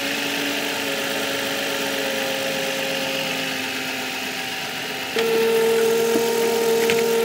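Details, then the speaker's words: 2005 Nissan Maxima at idle: a constant mid-pitched whine comes in a few seconds after starting and stays level, not present at first start. Owner suspects the alternator is failing; battery reads 12.9 V. "so I think the alternator is going out on the Nissan started making a whining noise"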